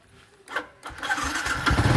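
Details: Yamaha Exciter 135 motorcycle that kept running with the key off, traced to a faulty battery wire: a couple of starter cranks, then the engine catches cleanly and settles into a steady, even idle with no misses.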